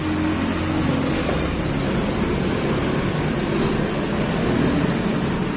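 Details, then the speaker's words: Nissan Frontier 4x2, front wheel raised with brakes released and spun by hand: a steady droning hum with a rough growl under it, from a dry, worn wheel bearing. "bueno acá vamos a ver cuál es el ruido de un rodamiento humano esto es una nissan frontier 4 x 2"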